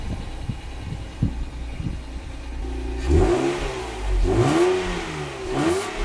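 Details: Lexus IS200 just after a non-original replacement rear muffler was fitted: starts cleanly, then smooth rising and falling revs with a deep, even exhaust note and no rattles or blowing; sounds healthy.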